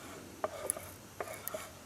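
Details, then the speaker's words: Homemade Maytag single upright engine built from twin-cylinder Maytag parts, not yet running: micro switch timer on cam lobe clicks crisply about every three-quarter second, set around top dead centre; normal ignition timer switch clicking. "you can hear it clicking you hear that click it's it's top toad Center or a little before or after depends on where you want to set it"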